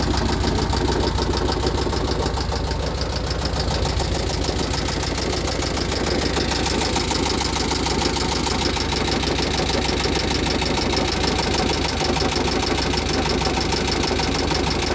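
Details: VW Type 1 36HP air-cooled flat-four, fully rebuilt with under 100 miles, valves adjusted, idling with a steady rapid knock following engine rhythm that continues with fan belt off; owner asks if rod knock, hopes loose oil cooler in fan shroud.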